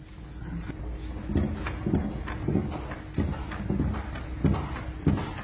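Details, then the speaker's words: Renault Duster rocked while on the ground: dull irregular rear knocks about every half-second to second. Muffler ruled out and no knocks when lifted; the knock traces to the boot, where a loose jack and extinguishers need securing. "Опустили автомобиль на пол и стали качать. И услышал какой-то посторонний звук. Сначала подумал, что глушитель бьётся обниши."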